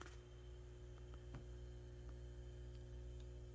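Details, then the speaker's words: Peavey VB-2 all-tube bass amp with recently replaced valves, idling at master volume zero: only a faint, low, steady hum under room noise with no buzz building. The amp is very quiet at zero, and power-supply filter capacitors are being replaced for hum/buzz. "now what you are hearing is a very quiet amplifier but there is one thing that you'll likely notice"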